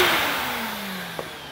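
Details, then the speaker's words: Vintage Miele De Luxe S126 stick vacuum (800 W), run through a plug adapter: its motor whine slides smoothly down in pitch as it coasts to a stop, with no scraping or knocking; the motor sounds healthy. "but that motor that sounds quality fantastic"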